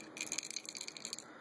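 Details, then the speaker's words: 1999 Kawasaki ZX-9R carburetor float shaken by hand on the bench; light, fast, tinny rattle for about a second, something loose inside though no leaks visible, source unknown. "And my float seems fine, but you'll hear a rattle."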